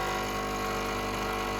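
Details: Home espresso machine pulling a shot after seven-second pre-infusion, targeting 28 g in about 30 seconds: even buzzing pump hum with steady stacked tones and no surging; normal pump operation.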